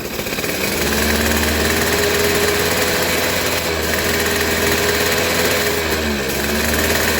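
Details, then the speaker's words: Suzuki RC two-stroke motorcycle revved high with the plug lead pulled away from the plug; steady unbroken buzz with no cutting out or stumbling, showing strong, normal ignition spark. "oke ya teman-teman bisa dipahami caranya seperti ini bila digas tinggi motor tidak cedot-cedot Walaupun ini terlepas itulah api yang harus seharusnya itu normal ya"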